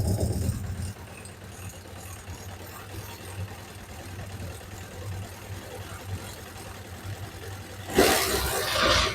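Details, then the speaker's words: Suzuki GSX600F after fixing an unstable, oscillating idle, before carburetor synchronization: quiet steady hum with no hunting or surging, rev needle no longer trembling; normal idle. "Bueno, pues como digo, como veis, ya no tiembla la aguja."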